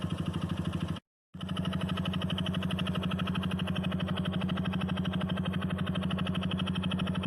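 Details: Honda Biz motorcycle, engine rebuilt a year and 20,000 km ago, clutch redone under 10,000 km ago, semi-synthetic 40 oil: steady idle with a quick, regular knock about three a second. Connecting rod or clutch suspected, not confirmed.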